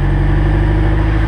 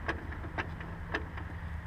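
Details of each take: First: Honda S2000 in first gear with the wheels off the ground, light throttle, after the propeller shaft was replaced with an OEM part: a deep, steady drone with no pops or clunks; the driveline is healthy. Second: Honda S2000 propeller shaft, rotated by hand via the wheels: slow irregular clicks and pops about two a second, sloppy play, noise heard for a long time and worsening; worn driveshaft needing replacement.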